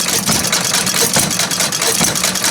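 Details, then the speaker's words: Ford 800 tractor, not yet warmed up, after fuel tank work: busy, uneven chuffing idle with plenty of exhaust rasp; running rough, owner thinks it's running rich and drawing lots of fuel, can't lean it out further. "I'm not quite up on this engine here yet it's running pretty rich I think he's drawing lots of fuel now"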